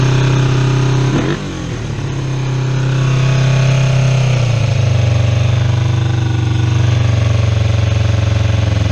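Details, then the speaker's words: Kawasaki EX250 Ninja after carburetor cleaning: turning the idle up runs high, turning it down sags toward stalling, no stable balance; revs flare then drop to a low uneven idle, attributed to idle (pilot) mixture screws out of adjustment. "you see how when I turn the idle up high it'll run real high and then if I turn the idle down a little bit it'll come down and then want to stall and I can't find that good balance"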